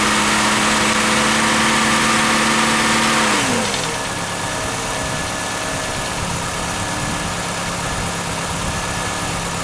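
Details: 1996 Chevrolet Cavalier 2.2 after water pump replacement: engine idles steadily, then speed drops and settles into an even, quieter idle with no knocks or squeals; normal idle.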